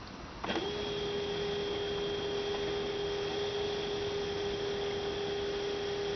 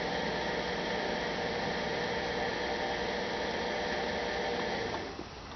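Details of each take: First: 2006 Toyota Prius coolant bleeding, final stage: electric coolant pump holds steady mid-pitched hum with no gurgling, no bubbles at bleeder, funnel holding 2-3 cm coolant; system nearly bled, normal. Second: 2006 Toyota Prius coolant change, bleeding air: electric coolant pump run via relay, steady whir with uneven bubbling and gurgling as funnel level drops; air still trapped in cooling system.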